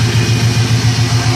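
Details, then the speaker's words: Twin-engine boat tied to the dock, idling in gear (identical motors, one serpentine belt and one V-drive belt): a steady, even low rumble with no knocks or misses. Both engines sound healthy. "i'll go ahead and put the transmission in gear and we're actually trying to move forward but of course i'm tied up to the dock and we're actually in gear right now"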